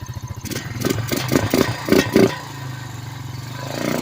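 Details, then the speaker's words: 2006 Honda Rancher ATV, after cleaning a clogged carburetor that made it die with the choke off: small single-cylinder engine holds a steady, even idle with the choke off, a few light clatters, no dying. Normal idle. "There we go. choke's off. We're idling with the choke off."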